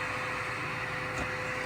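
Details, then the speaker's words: 3D printer auxiliary cooling fans set up in Klipper (hot end fan on GPIO 23), switched on from controls: steady even whoosh with faint constant hum, no ticking or rubbing; both fans spinning normally. "So both fans are turning and we have cooling."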